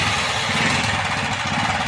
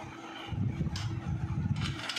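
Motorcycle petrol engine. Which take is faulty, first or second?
first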